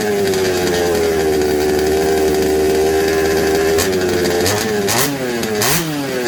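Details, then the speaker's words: Secondhand 1/5-scale RC Baja two-stroke that had been flooding; carburettor swapped and spark checked good. The buzz wanders in pitch, sagging and surging unevenly under throttle, and won't hold a clean tune. Slightly better but still running poorly; cause unconfirmed. "sort of it feel and you can't tune it so check the spark Spark's all good we change the carb and it's a little bit better"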